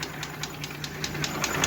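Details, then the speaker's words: Mercedes G-Class with M104 3.2 engine (220 hp), low compression, piston burnt through in cylinder 1, catalytic converter melted. Sharp regular knock about five times a second over a rough, shaking idle. Knock source unknown before teardown. "что стучит тоже непонятно сейчас буду разбирать смотреть"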